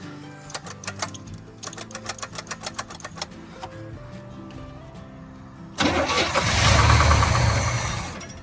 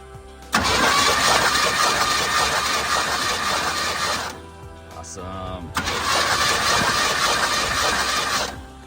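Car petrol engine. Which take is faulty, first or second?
first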